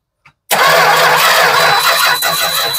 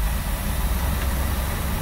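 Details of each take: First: 1967 Travco 220 RV with big block Chrysler V8, parked since 1988, new points fitted, no output from coil: steady hard cranking drone with no catch or rise in speed; turns over but never fires, crank no-start. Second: 1967 Travco 220 RV with big block Chrysler, parked since 1988, now running: low, smooth, even rumble with no knocks or ticks under light rolling, 50 lb oil pressure; normal healthy idle.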